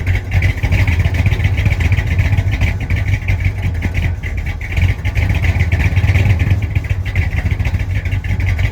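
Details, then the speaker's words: 1965 Chrysler 300 non-letter car, 383 V8, revived after sitting since 2005 in the California desert following transmission issues; carburetor mixture screws about 1.5 turns out, still needs timing. Heard from behind the car, idling then rising and falling on throttle blips; runs and revs. "So clearly it needs some timing. Get this air fuel mixture ratio fixed up."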